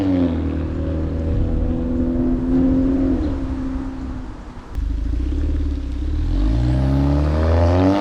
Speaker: As you can tell, light years better. Um, again, the cat and the resonator are still breaking in.